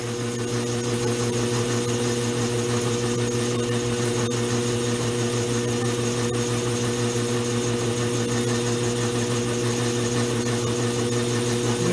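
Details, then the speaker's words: Vintage 1920s Goodell Pratt Model 494 amateur lathe, cleaned up and running on slightly heavier oil, cutting and throwing curly chips; even, steady hum of constant pitch with no knocks or rattles; running smoothly under cut. "Anyway, there you can see it's working pretty well."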